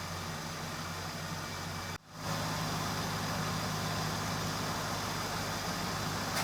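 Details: 1982 Ford LTD Crown Victoria stock 302 V8 with vapor lock problems, after in-tank fuel pump install, while ignition timing is adjusted from over-advanced: steady, even idle, cuts out briefly, then picks straight back up and runs smooth with no misses.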